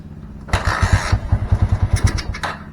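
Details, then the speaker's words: Honda Mega Pro Primus fitted with the correct KEH CDI; the shorted ignition-switch wire is not yet repaired: starter cranks, the engine catches in a few uneven low pops for about two seconds, then dies; hard starting despite having spark. "Ternyata meskipun sudah ganti CDI dan ada pengapiannya, tetapi saat dihidupkan susah ya."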